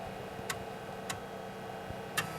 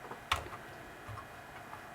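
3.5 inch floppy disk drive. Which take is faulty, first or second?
second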